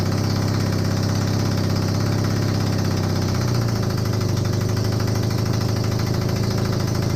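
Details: Honda CB250N Superdream twin project bike, new spark plugs, idling on partial choke after long non-start: constant low even thrum, no stumbles or misfires; idling cleanly.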